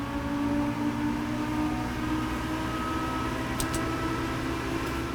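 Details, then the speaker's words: Alienware R13 gaming PC with downclocked i9, under gaming load: steady AIO pump hum with a thin constant tone near 300 Hz and higher whine lines over fan rush; coil whine mostly from the motherboard VRM; loud, peaking 49.7 dBA. "the whine is mostly coming from the motherboard VRM, but this is the main problem. This thing is loud in a lot of ways."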